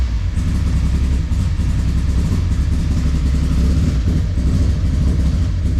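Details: Engine with a 4-tooth, 1-reluctor distributor, just started after its ignition setup was fixed and timing seemed too advanced; loud, low, uneven chuffing idle like an old lawnmower with a fuel smell; running rough, cause unconfirmed.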